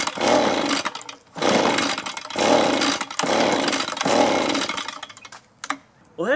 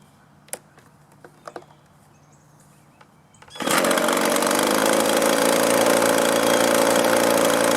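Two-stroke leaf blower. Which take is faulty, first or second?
first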